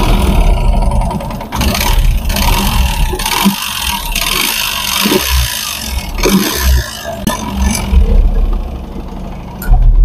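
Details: Yamaha FZ V3 motorcycle engine revs with a loud, rough knocking clatter, as if something inside is breaking apart; the piston is scuffed and damaged, with the run-in (breaking) period reportedly not followed.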